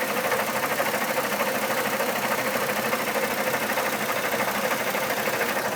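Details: 2002 Chevy Trailblazer: loud, steady tick-knock at about three beats a second at idle, seeming to come from the fan. Fan clutch was replaced two years ago, oil pressure checked, codes P0105 and P0420 present; cause unclear.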